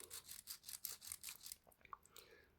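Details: 3D-printed Tiny Toroidal Twist Fan gear stage, gears freed after fusing and worked back and forth on the carrier's M1x8mm dowel pins: quick rasping strokes, about five a second, fading out as the high spots on the gear teeth are lapped off.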